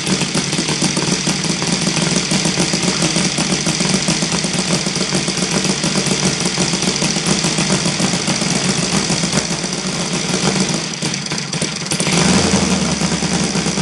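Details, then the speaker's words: Saito FG 60 R3 on spark ignition, loud buzzy low idle with uneven stumbling firing and rattly shake while Hall sensor timing is stepped early to late; excessive vibration, timing suspected, but no clear link to sensor position found. "so about that's the question of the how timing uh will affect vibrations on the uh low idle speed"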